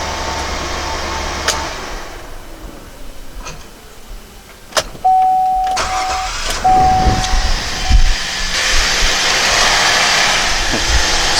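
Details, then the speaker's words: 2007 GMC Acadia after starter replacement, battery about a year and a half old: starter spins briefly, engine fires promptly and settles into an even idle; starts much faster, normal. "let's see if it starts Wow it started a lot faster let's do it again"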